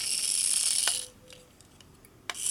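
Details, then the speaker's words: Egg Shell Mini Racer tiny RC toy car, first test after charging: a high, thin buzz, a pause and a click, then the buzz again. The small drive motor runs cleanly. "all right so all right yeah it works"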